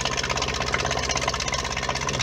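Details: Whale FP0184 Watermaster pump in a 16-month-old Bailey motorhome, after fixing the pump following winter no-flow fault: steady low motor hum with soft flutter after tap opens; normal pump operation.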